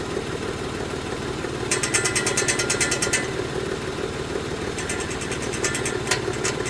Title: 2018 Mitsubishi Mirage GS making noises